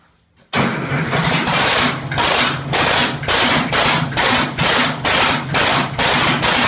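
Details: 1967 Oliver 1750 diesel, first start after an overhaul. Heavy, uneven bursts about twice a second, hunting and rough, because injection timing was off; this was later corrected.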